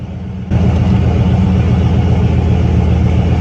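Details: Big-turbo C6 Corvette V8, first fire-up on Holley EFI with a quick tune and freshly gapped plugs: deep, loud idle holding steady after a small step up, lumpy but even beat, no misses.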